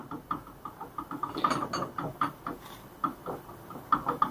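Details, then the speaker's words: Front right shock absorber removed from a 2020 Ford Ka 1.0 sedan, worked by hand: quick light metallic clacks about four a second from rod play; the worn rod guide valve and blown seal leaked out all the oil, so it was replaced. "aqui dentro aqui dentro das válvulas na pancada estourou estourou retentor foi vazando todo o óleo e aí acabou acabou amortecedor"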